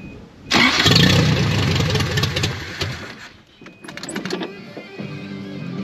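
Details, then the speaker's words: 1983 Toyota 22R just fitted with a new Flotech short-tube header and new gasket on the old studs, running open headers with no exhaust yet: cranks and catches with a loud, raw, crackling bark, then settles to a rough, uneven idle. "open headers on the 22-hour sound so disrespectful if I was in my 20s I would run it just like that"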